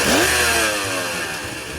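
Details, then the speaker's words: Suzuki GT380 three-cylinder two-stroke, previously not firing on number 2 cylinder, after carburetor repair: crisp blip climbing quickly in pitch then falling back smoothly; running on all three cylinders, healthy. "There we go, she's all running. So with the carburetor running on all 3 cylinders."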